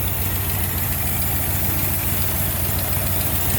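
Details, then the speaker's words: 1990 Jeep Grand Wagoneer, newly rebuilt AMC 360 V8 with Holley EFI, after restoration, idling with the new factory-style AC compressor running: even, steady idle rumble, no knock, rattle or squeal; normal AC compressor operation. "And you can show them out there on the engine where the compressors run. Because that is the new AC compressor. Factory style."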